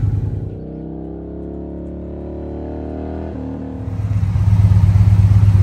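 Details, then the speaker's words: 2014 Victory Cross Country V-twin, almost 70K miles, first cold start since November, fuel pump whine: deep, even thump at idle, throttle blip swells cleanly with no misses or knocks; healthy. "Fire up. Let's see what she sounds like. She does have almost 70K, so she needs a few little things. Let's hear how she sounds. Oh, the fuel pump's screaming."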